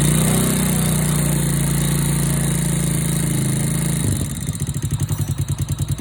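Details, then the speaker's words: Honda Wave 100/C70/Wave 125-type motorcycle idling after new cylinder, piston, rings, cam chain, tensioner, guides and oil pump gear: quick, even tick, about three or four a second, over the exhaust beat, valve tapping from loose valve clearance before adjustment. "Hโอเคเสียงที่ได้ยินแต๊กๆๆๆๆเป็นเสียงของวาล์วนะครับเดี๋ยวขออนุญาตตั้งวาวสัก"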